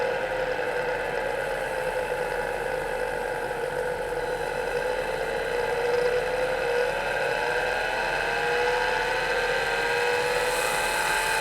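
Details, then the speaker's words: MiniScribe hard drive in a 40-year-old IBM 5161 expansion unit on an IBM PC 5150, mic close to the drive: loud high whine wavering in pitch as the spindle slowly runs up to speed, hunting before it steadies. "well that was a bit strange it takes the spindle a while to run up to speed but you can hear it varying speed until it sort of steadies"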